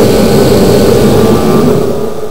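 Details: Kerosene forced-air shop heater after freeing a seized fan motor: loud, steady roar of burner and fan with even low rumble, no rubbing or squeal, then smooth tail-off; heater running normally.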